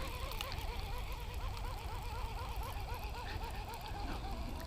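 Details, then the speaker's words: Shimano Casitas baitcasting reel burning in a square bill lure fast: thin whirring whine wobbling in pitch with each crank turn; reel gear noise the Shimano SLX didn't seem to make. "you guys hear that noise the casitas is making when I'm burning in this square bill okay I don't think the SLX was making that noise"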